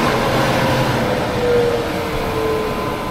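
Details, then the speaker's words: Farm grain blower, big electric motor and fan blowing air and grain fast up the pipe: steady loud rushing air with faint even whine, no knocks or rattles; running smoothly, normal. "And it sucks in air there and blows the air real fast in the pipe. And then some grain falls in there and then the grain also goes there."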